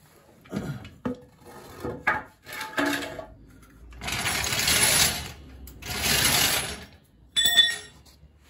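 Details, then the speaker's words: 1981 DeLorean DMC-12 being lowered off the lift: sharp creaks and cracks in bursts as the fiberglass underbody flexes under the car's weight; body creaking under load. "Vous entendez comme ça craque? C'est la fibre."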